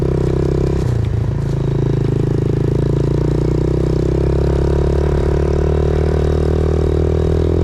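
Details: 2000 Yamaha TTR90 single-cylinder dirt bike after repairs (carburetor refitted, chain lubed), started on one kick, outdoors: settles into a steady even putter after a couple of blips, no misses or hunting; runs well, chain possibly slightly too tight.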